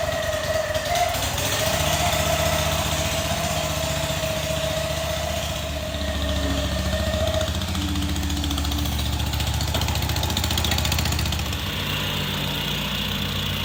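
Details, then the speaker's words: Rusty auction John Deere mower with holes in the muffler: engine runs steady but harsh and loud, with a raw, blatty exhaust bark. Loud exhaust from holed muffler. "i don't know why one would do that but it is way too loud i don't even know if this will quiet it down that much but we're gonna try"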